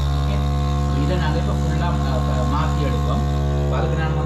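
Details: Toilet cistern giving a loud steady single-pitch hum throughout refill, typical of a vibrating fill valve; noisy filling fixed.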